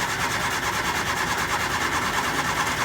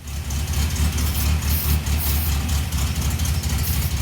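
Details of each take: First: 1967 Triumph Spitfire Mk II with starting and idle trouble: even cranking at about two beats per second never catches. With the fuel line disconnected, the mechanical pump diaphragm flaps but delivers no fuel. Cranking no-start, fuel pump not delivering. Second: 1967 Triumph Spitfire Mk II after fuel pump fix and carburetor tuning: a smooth, even, low idle at about 800 rpm with a steady beat and no misses, hunting or knocks. The car previously would not start. Normal idle.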